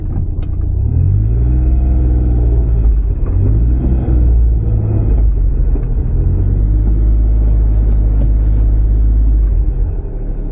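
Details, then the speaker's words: Cheap Suzuki kei sport 4WD car (Kei Works): deep pulsing gogogo groan below about 10 km/h on tight full-lock turns either way, swelling and fading; owner suspects the viscous coupling, not confirmed. "なんか異音がする何つうんだろう低回転の時低速の時か10キロ以内の時に右とか左とか凄い舵角多く曲がるとなんか音がするねぇ"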